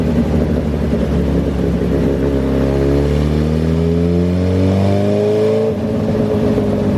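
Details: 2008 Suzuki GSX-R1000 on dyno, fuel pressure under 40 PSI at idle: climbs cleanly through the revs, then suddenly goes flat and stops pulling as pressure drops and it runs lean. Fuel starvation lean bog under load, failing pump.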